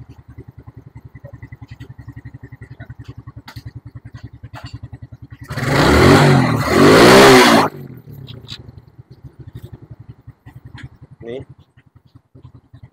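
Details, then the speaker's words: Suzuki Smash after carburetor service fixing holed diaphragm and leaking fuel tap, air and idle screws adjusted: even, steady putter, one quick blip revving cleanly, then straight back to smooth idle. Normal idle. "nyala langsam ya Ini pasti irit dan awet dibusi gak gampang mati Suaranya kayak gini"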